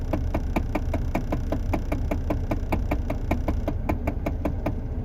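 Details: Lancia Delta A/C recirculation/fresh-air flap motor when switching modes: steady clunking about 100 a minute over a low hum; the flap motor is knocking and is to be replaced.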